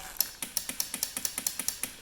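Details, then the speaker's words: Salvage Kawasaki KLF 300 quad on jump pack with fresh fuel: rapid sharp clicking about eight per second when start is pressed, no cranking; starter solenoid found stuck, tapping failed, to be swapped. "So, but now when I try and start it, I just get in clicking."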